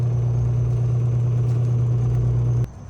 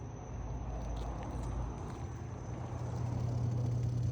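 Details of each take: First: Frigidaire dishwasher that came in with no power, no display and an i40 error: with the flood sensor unplugged, the drain pump hums steadily for about 2.5 seconds then cuts. The board reads a false flood signal, suspected as the problem. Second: Frigidaire dishwasher, previously discarded for a stuck pressure sensor and a leak, being tested with start pressed and door closed: a low, steady hum settling into an even drone, no rattles or grinding. The pump runs normally.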